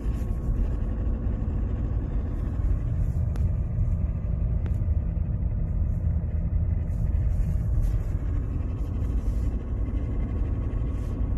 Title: Strange noise on gearbox on Mercedes Benz w203 . Help